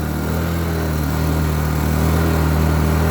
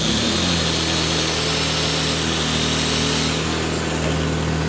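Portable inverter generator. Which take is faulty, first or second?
first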